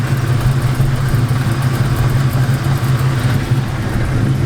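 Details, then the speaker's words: Car with a Spec Stage 2 clutch at about 1,000 miles, rattling and clinking unevenly at idle, heard from outside after sitting off a while. The clutch grips fine; the owner is unsure whether it is normal. "man as you guys can hear it's rattling its clinking but like I said it's not giving me no problems you know gripping clutch grabbing it's not giving me any of those problems it just has that ugly noise"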